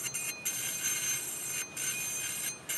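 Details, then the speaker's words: Western Digital 500 GB external hard drive, opened: harsh, high-pitched scraping hiss with faint steady tones, briefly cutting out; heads flew over a damaged platter area, head crash grinding, damaged beyond repair. "that's the grinding noise this means the heads are damaged Beyond repair"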